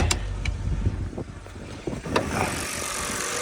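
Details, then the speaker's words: BMW E92 328xi xDrive, 72,000 miles, rear-ended but runs perfect: heard from outside, a steady low idle after a few handling clicks, even with no knocks or misses; sounds good, a healthy engine. "Whew. Super dusty, but she sounds good."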